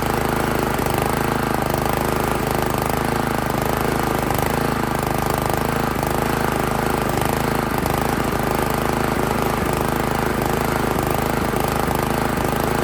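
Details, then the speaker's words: Honda GX160 on an Italian Workman 2 Multimixer cement mixer, choke on, idle screw being adjusted: steady but ragged chatter that never settles into a clean idle; will not idle, pointing to too-tight valve clearance. "yeah that's a negative on the idle"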